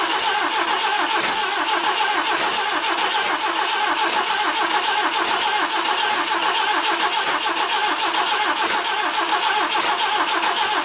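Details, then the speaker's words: BMW E21 under restoration, starting fluid sprayed into the intake while cranking, after moving the distributor and replacing the spark plugs: steady starter cranking with an even chuffing rhythm that never catches; crank, no start. "anyways so no joy on getting the motor to fire up we tried moving the distributor we replaced spark plugs we sprayed starting fluid in it and then we cranked it over about five thousand times so yeah no good"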